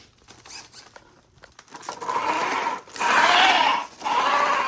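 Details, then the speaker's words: Custom 12S Traxxas X-Maxx RC truck with Hobbywing MAX4 560kv motor and a new set of gears, during a rolling test on the ground: gears whir in surges with a catch and scrape about once a second, starting to work itself out; periodic gear catching. "You can hear it catching on that one every so often. Listen. It's starting to work its way out now."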